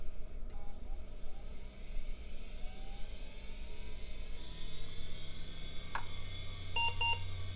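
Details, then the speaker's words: Hard drive in a Packard Bell Legend PC, lid opened: steady spindle whine as the platter spins, but no seek ticking; head is stuck and not trying to move, slight movement only from disc rotation. "Yeah, the head's not trying to move at all. That little move is just from the rotation of the disc."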